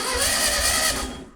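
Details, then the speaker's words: Long-dormant 1200 VW Beetle engine on a test stand, oil checked, cranking on a 12 V battery: even, steady starter whir with no knocks or scrapes; it built oil pressure and cranks over cleanly and healthy. "okay great so it seems like it's spinning over all right without making any particular racket or whatever"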